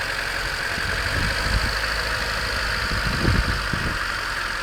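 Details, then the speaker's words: 1991 Honda CRX DX, D15B2 dual-port, 300,000 miles, cold start at 30 degrees outside, idling: irregular dull clattering knocks over hiss; owner unsure whether rod knock, piston slap or valve clatter; noise eases as engine warms. "I don't know how much you can hear inside that the engine bay or inside the passenger compartment but so is that rod knock is that piston slap valve clatter everything not sure"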